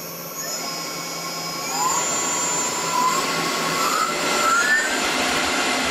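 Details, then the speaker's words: Tormach PCNC1100 mill, new spindle with new bearings just installed replacing a 3-year-old one that howled/whined, first start at low RPM: smooth, quiet whir climbing gently in pitch, no howl or grinding; spindle runs healthy. "I just turned it on for the first time and I kind kind of forget how bad the last one sounded but this sounds beautiful"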